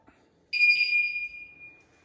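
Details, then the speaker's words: Newly installed bicycle alarm: a single sharp high-pitched chirp lasting about a second, the first of three stages, warning that someone is touching the bike before the full alarm sounds. "já era vocês perceberam rapaziada o seguinte que ele dá três coisas para você entender que ele vai disparar a primeira ele dá um toque para mostrar que tem alguém mexendo na segunda ele continua para falar que tem alguém mexendo ainda e na terceira ele dispara"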